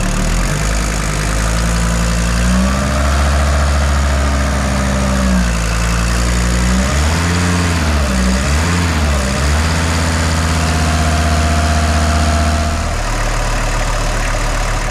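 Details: VW T4 van, AAB diesel, 4,600 km after a major overhaul: idle clatter with a faint wavering whir from the front belt drive; owner finds a slack, grease-lost pulley with its dust cover gone. Belt area noise at idle.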